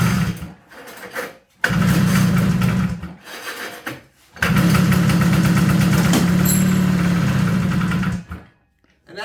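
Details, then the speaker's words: 1977 Ski-Doo Everest 440 two-stroke snowmobile after fuel pump replacement and carb cleaning: catches and runs rough for a couple of seconds, dies, fires again on starting fluid; no fuel delivered, pump fitted backwards. "let's see if she makes some noise she wants to but it's probably not going to again"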